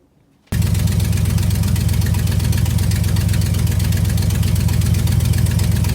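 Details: V8 after damaged distributor cap and rotor arm replaced and all eight faulty spark plugs swapped for an old set of Champions: catches at once and settles into an even steady idle with smooth low rumble; running healthy.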